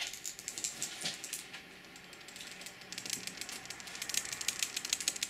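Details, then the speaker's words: Online College fountain pen shaken: light, irregular plastic clicking as the ink converter rattles loose inside the barrel, even while still seated. "hear that rattle around a bit and just for the record it is still in there so there is that and is that a big deal not necessarily it just rattles around"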